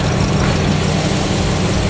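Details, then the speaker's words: Toyota Agya GR Sport petrol engine idles low and uneven with a lumpy shake. Cylinder misfire, with the diagnostic tool logging cylinder 3. "atau kalau bahasa tekniknya itu misfire jadi Mesinnya tidak stabil dikarenakan ada tenaga yang tidak sama di antara silinder 1 atau silinder du 3 dan 4 ya"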